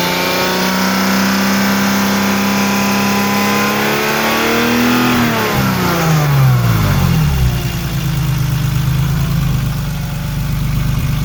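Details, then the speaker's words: Warm engine with drive belts removed revs up and down; rough grinding rattle appears between 3500 and 4000 rpm and goes away at higher rpm; cause unknown. "just don't get it we get up to there's RPMs it starts making that grinding rattling whatever the heck you want to call it noise if I go much higher it goes away just doesn't make sense"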